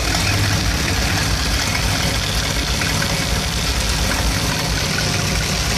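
Warm V8 idling with an uneven, lumpy low beat and a stumbling rhythm instead of a smooth even run; rough idle, cause unclear.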